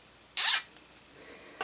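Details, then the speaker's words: Height-gauge steel part fresh from a quench in non-detergent motor oil, with its magnetism returned and before tempering: a short, bright, glassy rasp as the file slides without biting; the part is very hard and fully hardened. "Notice that magnetism has returned. in case some of you do not understand that. And it's very hard. I don't know if you can hear that or"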